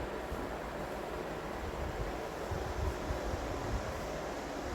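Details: Vintage Emerson box fan after cleaning and motor oiling, intake mode: steady even whoosh of air, no ticks, rubs or wobble; very smooth, normal running.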